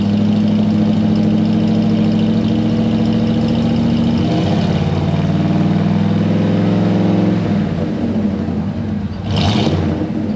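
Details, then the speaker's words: Ford 302 V8 Econoline van, cold start after replacing bent #5 intake pushrod (suspected stuck valve), computer still learning, dual exhaust. Catches and settles to steady, slightly rough idle, revs easing down, no valvetrain clatter; running fine on all eight. "it's running appears to be running on eight but we're not clattering uh i'll let it warm up here"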